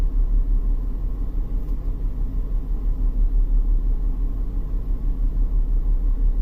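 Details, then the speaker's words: 2001 BMW X5 3.0L with code P0306 and catalyst efficiency codes: low rumble under load with an uneven, pulsing beat as one cylinder drops out. The scope shows one coil losing its multi-strike, so a failing ignition coil is causing the misfire. "yeah I think the one is losing the multi stroke that's yeah look at that one coil"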